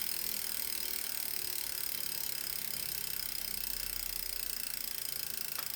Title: Tacx Neo 2 with very loud scraping noise.